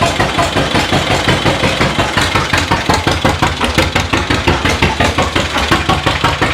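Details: 1936 John Deere A two-cylinder, mostly new engine, first run in decades after timing fixes, hand-cranked, warming with residual oil burning off; slow even popping about three beats a second, clean steady firing; normal running.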